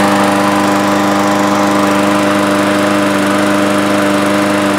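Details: 2012 Murray lawn mower with Briggs & Stratton engine after carburetor work, oil topped up: even, steady buzz at constant speed with no misses, surging or knocks; runs smoothly.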